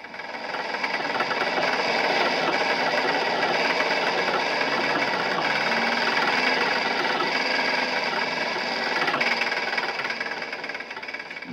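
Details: Running petrol engine with a dull, fairly regular knock of about four a second beneath the mechanical clatter: worn big end bearings, a knock heard most loudly under load and when lifting off the accelerator.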